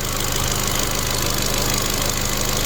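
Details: Ford Fiesta Mk7.5 small three-cylinder petrol idling with a steady, even low hum, no knocks or misses; healthy engine during a service, timing belt not changed.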